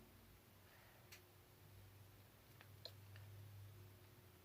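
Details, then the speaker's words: Whirlpool WTW4816FW1 top-load washer, new splutch, sensor switch and lid lock switch fitted, skips rinse in test mode: low hum with sparse uneven ticking while stalled in wash, not advancing to rinse; owner suspects hub or transmission (tub bearing tied to transmission). "see what it's going into the wash just taking his time you can hear it ticking like it's trying to move and you shouldn't take this long for it to do what it needs to do"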